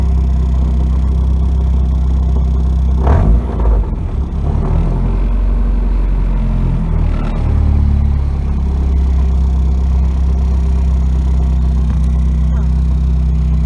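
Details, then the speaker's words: 1992 Nissan 240SX hatchback at idle: a rough rattling scrape comes in as the clutch pedal is pressed, then fades; shown as a symptom of a bad clutch. "This is 92 Nissan 240SX. And show you a symptom of a bad clutch. I have to press this down."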